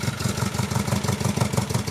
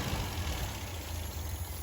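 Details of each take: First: 1974 MGB with a rebuilt engine, after new carburetor gasket and jets: uneven lumpy chugging that never revs cleanly, runs only at one throttle position and floods out with more gas, no air leaks found; stumbling, won't rev. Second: 1974 MGB with a rebuilt engine, slightly cooled and warming up, revved unloaded to about 3000 rpm: clean, even, crisp note with no stumbling or popping; healthy free revving.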